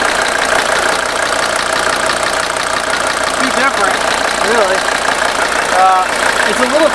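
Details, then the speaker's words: 1983 Mercedes 300TD W123 OM617 diesel idling on Liqui Moly Diesel Purge in a closed loop through the injection pump: steady, even diesel clatter, no misses or knocks, slightly quieter; normal idle. "she'll be running on diesel Purge now in probably 5 minutes it's a little darker in color but it's not"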